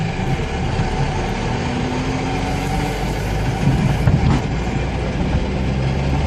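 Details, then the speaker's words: 1999 Plymouth Neon Style, manual, at idle: a steady low drone with a faint whir, heard in reverse and again in first gear. It gets quieter once warmed up. The car needs a transmission, and a worn gearbox bearing is suspected but unconfirmed. "Oh, you can hear that sound. Put it in first, you can hear it again. It actually gets quieter after it gets warmed up."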